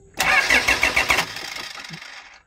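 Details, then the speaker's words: 2008 Toyota Fortuner diesel, shop blamed pressure pump; no fuel from pump traced to thin, pinched two O-rings on suction control valve, replaced: starter spins with even compression beats about a second, winds down without catching; crank no start. "Ito mga boss yung pinalitan natin yung O-ring ng suction bulve. Yung dalawang O-ring diyan yun lang yung pinalitan natin kasi nakita ko na manipis na tapos ipit."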